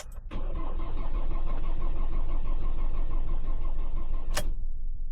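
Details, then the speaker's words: 2016 Ford Transit minibus, 2.2 diesel, broke down running rough and cutting out, low fuel pressure codes, battery getting low: steady cranking about three beats a second for four seconds, never catching; no start from failed in-tank fuel pump. "So as you can see there, I mean the battery's getting a little bit low currently, but it cranks but won't start."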